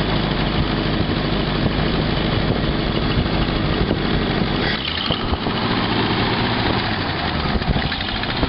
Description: My 1952 Packard tracking down the exhaust leaks.